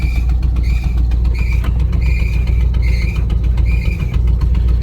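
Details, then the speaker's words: Car for sale with transmission fault, can't be put in gear: thin high squeal coming and going over a rough idle; owner says it is the throwout bearing, possibly the clutch fork. "oh yeah that squealing noise is the thrall bearing"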